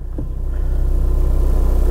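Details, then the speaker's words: 2006 Honda CR-V 2.2 diesel 4WD, with a completely flat battery, started on a second jump pack after the first proved underpowered: it fires into life and settles into a steady, evenly pulsing low idle with no knocks or misses. Sounds okay. "now so pretty confident this should go now yes there we go fires into life"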